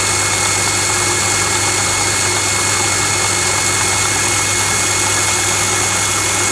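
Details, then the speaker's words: Household water pump after fixing its loose impeller/fan shaft by wrapping it tight with pipe thread tape: smooth constant motor hum with steady hiss, no rattle or scraping; noise gone, normal running. "ก็เป็นการแก้ปัญหาอีกวิธีหนึ่งใช้ได้นะครับเสียงไม่มีแล้วนะครับเสียงหายไปแล้วนะ"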